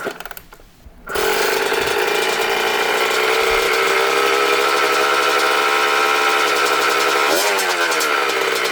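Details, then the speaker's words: 1996 Honda CR80R two-stroke after fixing the cause of low compression and other issues: fires after a second, then a crisp steady buzz with a quick blip; runs clean and healthy. "Man, this bike sounds good."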